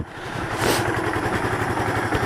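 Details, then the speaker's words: Kawasaki KLF300 quad: quick, even single-cylinder thumping settling into a steady idle with no popping. It previously backfired through the carburetor and would not start; the engine now runs after a keyway repair, following starter clutch replacement. "Oh! It starts! Nice! Nice, it starts."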